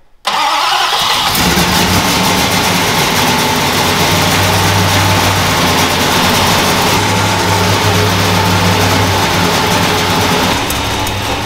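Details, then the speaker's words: Dodge Coronet with new carburettor and distributor but old plug wires, plugs and stale fuel: fires up, then uneven stumbling idle with irregular missed pulses; bad misfire, suspected from old plugs, wires and fuel, not confirmed. "not new plug wires or plugs and it shows it's still missing pretty bad so we'll order some new plug wires put some new plugs in it"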